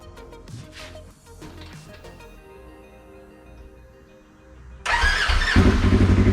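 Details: Polaris RZR 1000XP first startup after fitting new Flowmaster XDR dual exhaust: after a quiet stretch engine cranks and catches, then blips up and down cleanly with deep even exhaust note; normal cold start and revving.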